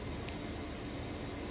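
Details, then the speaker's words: Maytag Bravos XL high-efficiency top-load washer with a heavy load of jeans and towels, final spin speeding up further. A steady, even whooshing hum with a faint tone and no knocking; balanced and smooth. "as you can see it's nice and smooth sounds great and it actually gets going even faster"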